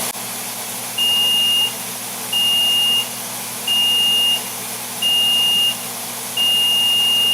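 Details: ApolloSpray digital turbine sprayer with the trigger released at its preset pressure. Five high beeps, each under a second and roughly every 1.3 seconds, over a steady turbine hum; the Power Pause warning before slowdown.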